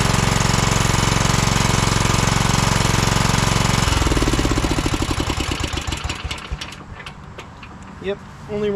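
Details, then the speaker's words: 2012 Toro TimeCutter SS5000 V-twin zero-turn fitted with a new spark plug (the old one was oily). A lumpy, uneven beat slows into single thumps and stops; it still runs on one cylinder. Owner suspects the ignition coil, unconfirmed. "on one even with a different spark plug so that coil could be going out cuz I couldn't see any spark even with the other spark plug in there"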